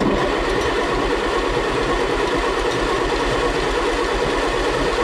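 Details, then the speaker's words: 1957 Allis Chalmers IB tractor, stored a couple of years, after the bad starter solenoid was fixed. Steady, even cranking with a low chug at about two beats a second and no firing while spark is checked at the coil and plugs. Turns over but won't start. "so the beautiful thing about these old things about having the coil and spark plugs it's very easily able to tell if you had spark or not"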